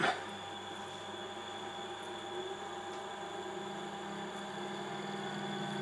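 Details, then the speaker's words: Fan in the 8-inch Shugart floppy drive of a Cifer 2486 terminal, unused since 1982, after WD-40 was worked inside and with its filter removed: soft, steady whirr with no screech; it no longer screams and spins freely. "she screams no more. Isn't that good?"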